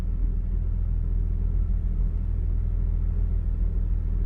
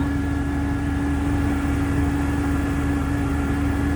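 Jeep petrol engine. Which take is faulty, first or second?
second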